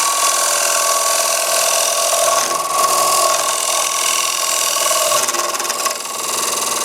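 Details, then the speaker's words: Wood lathe bowl turning: cutting hiss with rough buzzing rattle and thin ringing as the tool chatters and bounces, overhanging too far past the tool rest; rest needs adjusting before continuing. "hear that the vibrations tell me I'm too far over my tool rest I have to make some adjustments before I continue I don't want it bouncing that way again"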